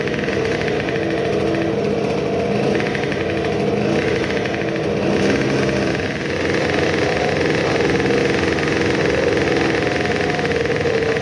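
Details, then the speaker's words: Modified moped two-stroke on its initial startup after the block porting and epoxy work, with a new intake manifold and the carburetor at a steep angle and leaking fuel. A steady high-pitched scream breaks into a ragged crackle; it sputters at an estimated 15,000+ rpm. "at least judging by the initial revving test it might have had a bit more rpm but there was a lot of sputtering I would say it took at least 15000rpm, maybe more"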